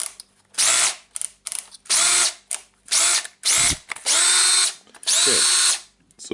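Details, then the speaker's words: Makita DDF482 18V drill that was smoking with a slipping gear, after teardown, cleaning and new brushes: short repeated bursts of a high, even whirr spinning up cleanly with no grinding or rattle; normal motor run. "we have assembled this drill and we can turn it on okay it started to work that's a good time for us"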